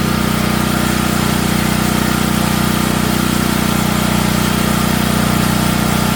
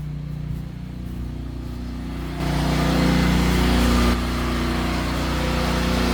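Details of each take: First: Natural-gas home standby generator started at the beginning of hurricane season. A steady, hard-working drone with a fast, even rattle over it as the frame shakes. The shipping brackets were never removed and caused heavy vibration, so they were taken off. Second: Natural-gas home standby generator at the start of hurricane season, just after house power is switched over to it: a steady, even low drone that firms up as the house load comes on, with no knocks or hunting; healthy running under load.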